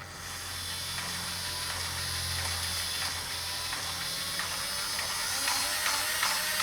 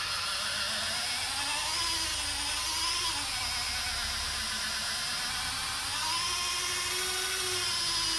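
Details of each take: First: Hornby model railway turntable gear drive after old, sticky red lubricant was cleaned off and the gears oiled: a light, even whirr with fine, steady gear-tooth ticking and no binding. It runs much smoother, with no gear teeth missing. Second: Hornby model railway turntable after repair; thin, wavering motor whine, then two sharp bangs as contacts pass under the track, drive knocking and binding from jamming contacts.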